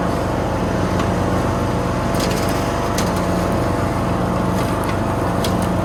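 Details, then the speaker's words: Toro Z420 TimeCutter zero-turn mower after motor swap with new carburetor and fuel line, mowing foot-tall grass: steady, even engine drone holds speed under heavy load with no bogging or stumbling; runs good. "Runs good. Didn't bog down or stall or anything. And I'm sort of mowing the back 9 of the property, so this stuff's like a foot tall, and I was really putting it through its paces, and did great."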